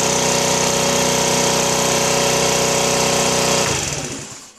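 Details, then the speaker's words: Chinese 49cc scooter, after a no-start was fixed by replacing the CDI box: a steady, even buzz at constant speed with no misses, then a clean shutdown. Running normally. "so there you go um simple fixed like I think it was uh eight n bucks on eBay and she's back up and running and hopefully ready for another th000 miles"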